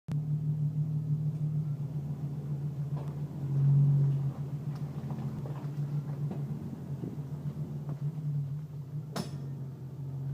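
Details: Jeep leaving a car wash bay at crawling speed: low engine rumble broken by two loud metallic pops followed by quieter pops.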